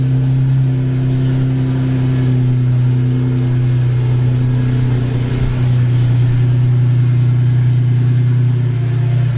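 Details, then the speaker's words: Cammed full-bolt-on Infiniti G35 V6 after crash rebuild, cam timing redone to fix exhaust cam bank 1 out-of-time code: deep lumpy idle, steady loping beat, no ticks or knocks, no check engine light. "Last time we were getting an exhaust cam out of timing code from the cam sensor, but now that I redid timing, everything is awesome. Oh. Listen to that idle, dude."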